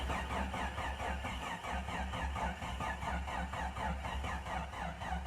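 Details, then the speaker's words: Jeep Cherokee 4.0 high-output engine that sat about 15 years cranks slowly at two to three turns a second on a weak jump pack with temporary fuel feed, never catching; cranks but won't start, and the battery charger may be needed. "come on baby oh man that's slow my jump Pack's dead from trying to crank the other truck come on get the fuel get the fuel get the fuel get the fuel crank baby I might have to put the battery charger on"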